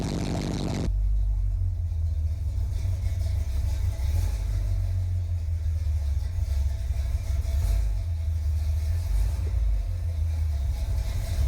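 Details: 1981 Chevy Corvette, brand-new V8 just after first start following electric fan, fuel filter and spacer for overheating. Deep, steady rumble holding an even beat with no knocks or misses. Normal idle.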